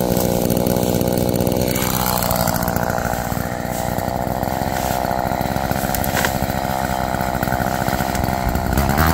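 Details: Roadside-found Homelite chainsaw after carburetor rework, cold-started after sitting, cutting wood: holds a high, even buzz through the cut, pulling cleanly without stumbling. Chain oiling well; owner suspects slightly rich running, bogging in larger logs then recovering.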